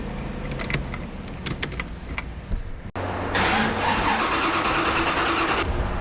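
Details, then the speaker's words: C4 Corvette with Holley Terminator X and nitrous, which would not start even on a jump box: clicks and rattles, then the starter spins steadily for a couple of seconds but the engine never fires. A blown fuse is suspected. "Starter works, but it acts like there's other stuff not getting power, so there's probably some sort of a fuse blown somewhere, which kind of isn't too surprising with the wiring on this car."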